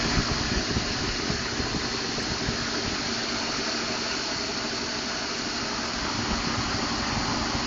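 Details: 2012 Ford F150 5.0 V8 warm idle after running a while; light fast ticking about four per second over the hum; owner told it may be normal injector, fuel pump or tolerance noise; cause unconfirmed.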